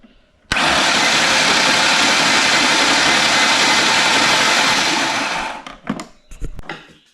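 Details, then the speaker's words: 1995 Ford Explorer engine with a suspected compression issue, cranked with all spark plugs removed for comparison: fast, even, airy cranking with no compression chuff or labour, starter spinning the engine freely. "Uh, what I'm going to do is crank it without the plugs in it, and I'm going to put all the plugs back in it. Crank it again. Sounds a little different. Here's without plugs."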